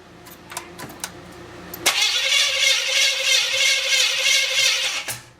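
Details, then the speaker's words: Chevrolet 350 SS V8 first start, gas dribbled in carburetor; steady fast starter churn about three seconds, even cranking, never catches; distributor appears installed correctly, owner suspects insufficient ignition advance. "Alright, let's quit. It appears that the distributor is in there correctly. I just might not have had it advanced enough."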